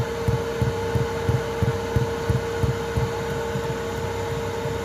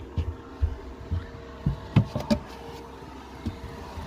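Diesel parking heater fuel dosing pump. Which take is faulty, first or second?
first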